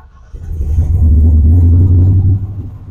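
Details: Car with Holley Dominator EFI after IAC, parked position, cranking fuel and prime percentage retuning, engine warm at about 100 degrees, cranked with no throttle: short crank, then fires promptly and settles to a smooth, even low rumble, a clean start.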